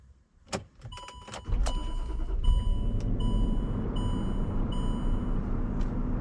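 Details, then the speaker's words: Land Rover LR3 after ignition coil and spark-plug contact repair for rough running and misfire: a few clicks and chimes, fires right up, choke on so idle is slightly high, steady rpm; normal start and idle. "fires right up it runs nice you see the choke still on so it's a little bit on rpms but it runs beautiful as it is right now as you can see it's very steady on the rpms"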